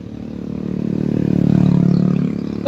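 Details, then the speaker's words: Yamaha Aerox 155 scooter engine revving smoothly and evenly then settling, no misfire or knock, after troubleshooting error 12 (stator/CKP pickup sensor circuit, socket suspected) that caused failed starts; error 12 now cleared, running normally. "So bale dito umandar na siya. Wala na yung kanyang er 12."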